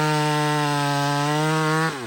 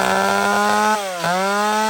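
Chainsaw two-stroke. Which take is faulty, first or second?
second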